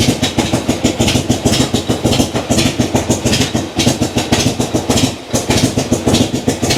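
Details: Old kick-start V-twin idling cold just after starting, idle knob not turned up: lumpy, loping beat of about a hundred pulses a minute, uneven but steady and catching cleanly; healthy cold idle.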